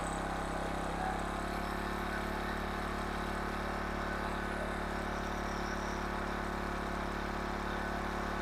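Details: 1500 W King Canada generator with Chinese petrol engine, bought as a non-runner with suspected carburettor fault; after repair and adjusting speed from 71 Hz/190 V, steady constant governed hum, no surging or misses; running normally.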